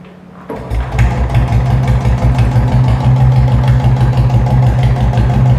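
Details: Royal Enfield Bullet single-cylinder starting and idling with a slow, uneven thump and sharp metallic clatter on each beat; engine noise cause suspected, not confirmed.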